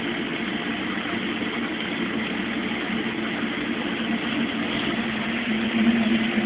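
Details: Mueller Special washer (Brazilian washer-dryer), cold-fill-only machine starting a 60°C quick cycle with a duvet, extra rinses; steady rushing hiss of cold water filling, swelling slightly near the end, no knocks or grinding; normal cold fill.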